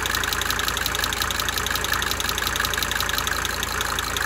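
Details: 1992 Mercedes-Benz 300D 2.5 turbo diesel at steady idle: light quick injector tick, about three a second, coming and going over the diesel clatter.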